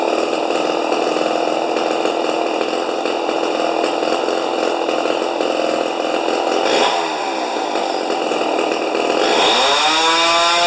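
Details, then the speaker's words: Rebuilt 50-year-old 100cc Homelite XP 1020 chainsaw on its first run, idle about 2500 rpm: a shrill, sustained no-load scream dips briefly, then climbs back very high. Max measured about 10,500 rpm against a book limit of 9,000, so it seems to be over-revving on the high setting, with no throttle limit found. "oh all right it says it says on the books under uh chain interest chainsaw interest or something like that 9,000 RPMs are the highest as it should go"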